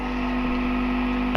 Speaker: and that can cause a current to flow through all the wires connecting all your equipment together which will in turn make a buzz a bit like the one you're hearing here there's some kind of 50 HZ and multiples of 50 HZ Buzz which matches the frequency of the electricity current